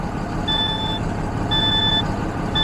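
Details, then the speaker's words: DAF LF Euro 6 truck idling with a high warning beep about once a second; dash shows air supply system malfunction, air gauge 1 at 10 bar but gauge 2 at 0, caused by a wiring fault. "Right, let's make sure this is doing what it's doing. Let's just start it up, I think. Right, air supply system malfunction."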